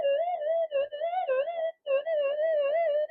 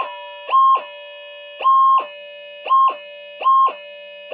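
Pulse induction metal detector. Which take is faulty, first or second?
first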